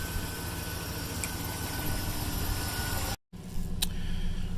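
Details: 2008 Chevy Tahoe with a no-crank no-start fault running after a temporary fix: battery and PCM unplugged, leads touched together, connector greased and reconnected; low, even idle rumble with no stumbling or knocking, normal idle. Owner says a new module is still needed.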